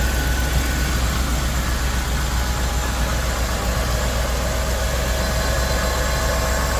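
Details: Restored 2000 Land Rover, 52,000 miles, stone-cold engine at 75°F ambient: cold start settling into steady, even idle hum with smooth low pulse, no knocks or ticks; healthy.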